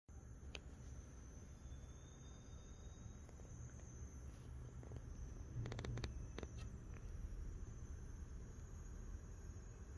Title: Corsair RM1000x (2021) idle coil whine (Part 1/2)